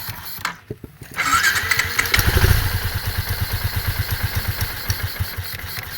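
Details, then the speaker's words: Sniper 150 motorcycle with suspected broken piston rings and hard starting, after timing, full tune-up and cleaning: starts on one click and settles into an even, steady idle without the earlier stalling. "Ayun na na siya namamatay. Kanina namamatay to eh h mo siya mapaandar ng ganito kanina pero ngayon okay na."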